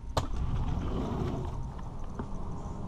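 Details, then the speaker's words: Fresh water pump on a 2000 Sea Ray 34 ft boat, troubleshot for low water pressure (it previously kept running and sucked air): steady low hum with no sputtering or surging. It builds pressure, gives a solid stream and shows no leaks. Normal running. "looks like pretty solid looks like a pretty solid stream so i hear the pump running"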